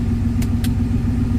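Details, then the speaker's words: 1971 Rover 3500S (North American P6) V8 at idle after installing a Lucas 11AC alternator replacing one with a seized pulley bearing: steady smooth rumble, belt flaps slightly but no noise; ammeter shows charging, pulley working well; normal idle. "You see that kind of flaps around, but no noise or anything. Everything sounds good. The pulley is working very well."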